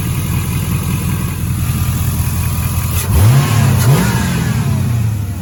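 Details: 5.3 LS-swapped Pontiac Firebird after fitting an LS1 Corvette fuel filter regulator: smooth idle then two quick blips that climb and settle cleanly, no stumble or hesitation; runs much better, fuel delivery healthy.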